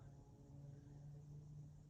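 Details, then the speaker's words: 2000 Hunter Original 52-inch 5-blade USA-made ceiling fan, weathered brick, weathered pine blades, on low: soft steady hum, no wobble, rub or clicking; normal running. "So I'll start it up on low. It's a really nice fan. It was made in 2000, is what the thing says on the tag. It doesn't wobble."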